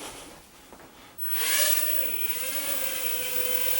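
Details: MJ102 mini RC quadcopter flying indoors on low rate: motors spool up to an even high buzz holding steady with gentle pitch swells; smooth, stable flight, nothing abnormal.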